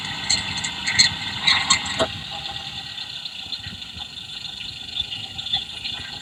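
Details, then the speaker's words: Electronic stethoscope probe on a fuel injector at idle: a fast, fine, steady ticking with no misses or knocks. The injector sounds normal; the rattle being sought is elsewhere. "So ayun guys no, narinig natin yung tunog ng ating fuel injector. Ayan. So so far sa tingin ko okay pa yung kanyang ingay. Normal pa."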